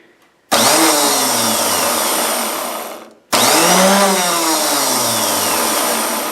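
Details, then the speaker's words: Electric starter motor removed from an Ariens snow blower's 8 HP Tecumseh, clamped in a vise with its broken switch jumped out, on mains power: two clean whirring spin-ups rising then coasting down; motor works, gear pulls out to engage flywheel. "So she works, and you can see how that pulls out to engage the flywheel."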